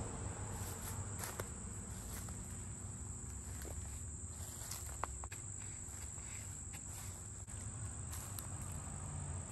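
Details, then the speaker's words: Jeep engine idling cold and warming up after sitting all weekend and some time in the rain: a thin, steady high-pitched squeal over the low rumble as the damp drive belt slips. "This thing has been sitting in the rain a little bit. You can hear the belt squeaking. I'm letting it run, you know, kind of warm up since it's been sitting all weekend."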